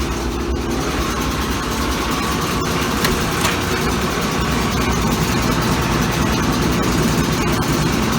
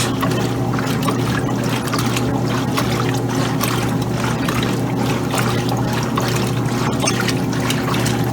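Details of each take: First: Old Kenmore Laundry Center top-load washer, regular cycle, cold/cold water, large water level, washing a load of clothes: loud, steady rumble with rough, uneven churning and shaking through the spin; cause unclear. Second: 2007 Kenmore laundry center (Frigidaire-built), regular cycle, cold water, large water level: a steady low motor hum with rhythmic sloshing as the agitator swings back and forth. Smooth, normal agitation with no knocks.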